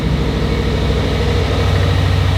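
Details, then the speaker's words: Subaru WRX STI, first start, running rich with white smoke before break-in at 2000–2200 rpm; steady, even low-pitched boxer idle with constant drone, no knocks or ticks; normal idle. "hey running smooth all right let me run through our procedures this thing looks stupid Rich sounds good dude"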